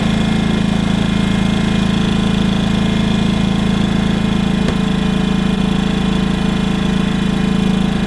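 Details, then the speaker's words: WEN 56200i 2000 W inverter generator, new and still burning off factory oil, in eco mode running the trailer's fan and all its lights. Runs smooth and even at a steady speed with no knocks or surging; normal running. "So right at the moment I'm running the fan and all the lights in the trailer. And that's what she sounds like."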